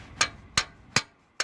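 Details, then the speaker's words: 1979 Lincoln Continental Mark V, previously stuck valve freed after its compressed spring popped out: mallet taps on the valve, each with a quick springy rebound; valve moves freely, normal spring rebound. "And we can verify that if we kind of just take this rubber plastic mallet here, and you can hear it bounce, right?"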